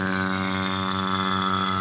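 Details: AC vacuum pump running to evacuate the pipes to the indoor unit, adapter valves open, about 10–15 minutes before recharging freon: steady low motor drone with smooth quick pulse, no knocking or grinding; normal running.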